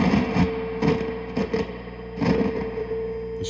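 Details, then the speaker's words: Fender Hot Rod Deluxe III with a 400 Hz sine wave injected at the input: a steady hum turns to scratchy crackle bursts whenever the volume control is moved or tapped. Dirty pots are barely passing signal and need cleaning. "so as as you can see all all the pots need attention it's just a crackly mess my man"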